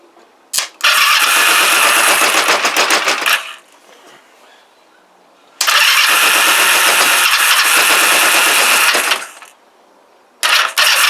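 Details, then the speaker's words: Kawasaki GPZ500S, carb vacuum port blocked with a screwdriver: two sharp throttle blips, harsh uneven raspy howl that never settles; vapour from carbs, possibly unburnt fuel; owner suspects carburettor, doubts timing. Rough running, cause unconfirmed. "oh not happy I'm beginning to think careta I really am uh it's not timing convinced it's not timing"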